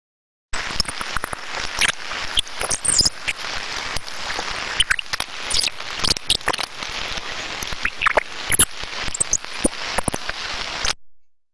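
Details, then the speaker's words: Rolling bearing with extreme damage, heard through an ultrasound instrument: harsh, dense crackling and grinding with constant sharp pops. "and then when we get to the extreme damage side it's very clear audibly from the quality that there's something wrong"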